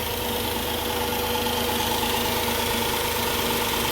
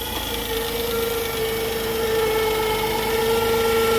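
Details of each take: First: 2004 Chrysler Pacifica at idle after replacing the original alternator, which gave a humming, whirring noise while still charging: steady, even idle with a smooth hum and no whirring or whine from the front accessories; healthy. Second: 2004 Chrysler Pacifica, about 150,000–180,000 miles, cold start at idle: loud steady whirring hum at one pitch that fades as it warms; alternator still charging, suspected worn alternator bearing, to be replaced.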